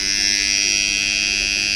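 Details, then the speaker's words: Electric motor starter on power-up after rewiring joints; steady electrical hum with a sharp buzzing edge and no load changes. The contactor has rust on its lower side; cleaning it should remove the noise. "అయితే ఇప్పుడు starter sound వస్తుంది కదా ఈ starter sound ఏంటి లేదు contractor కింది side చిలుమ వచ్చింది"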